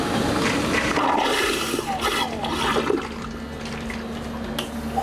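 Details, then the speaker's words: Electric marine toilet in the head of a refitted, previously sunken 2021 Leopard 50 catamaran, flushed after priming the water: pump hum under a rush of water that swirls and fades evenly, no grinding or straining; normal flush. "I can poop again! I don't think I've ever been so excited for a toilet to flush."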